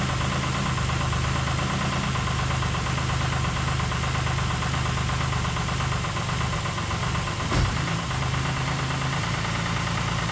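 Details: 2008 Ford Explorer 4.0L engine at steady idle after reinstallation, with the main intake vacuum line and MAF sensor reconnected: a dry metallic chatter over a low hum; the timing chains were found to be still rattling.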